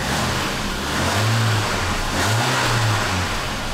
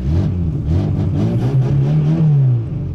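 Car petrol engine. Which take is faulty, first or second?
second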